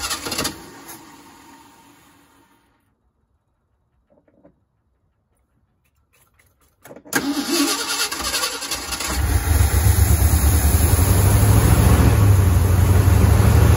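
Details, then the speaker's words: 1973 Ford F-250 4x4 crew cab, carbureted, after carburetor rework: silence, crank, catches around seven seconds into a deep, slightly uneven idle; carburetor loading up at idle, previously needed choke and high revs to clear. "so friends what it would do is fire up and uh it would idle like this and then it would start to load up so bad that it i'd have to come over and put my little choke in there"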